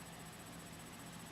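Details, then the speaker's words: Black MacBook recording: a steady even hiss with a faint low hum, constant in every recording. The owner guesses the built-in webcam is involved; the source is unidentified. "I know if I stop this video and play it back I will hear it it's like a sneaky ninja noise it's probably got something to do with the webcam being built in it's my guess"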